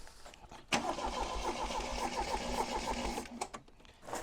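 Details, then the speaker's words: Triumph TR7 parts car engine, standing unmoved for 4 years, on a jump starter: starter churns about three and a half turns a second for three seconds, never catches; cranks but no start, jump starter running flat, spark and choke to be checked. "looks like I've pumped my jump starter out of juice at this point in time it's worth checking for a spark because you can put as much fuel up to an engine as y"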